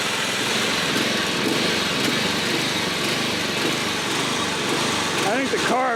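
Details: Old John Deere 14SB push mower, trash find, rope instead of missing recoil, carb only removed and inspected, at half throttle: uneven hunting beat rather than steady; runs rough, owner thinks the carburetor needs a rebuild.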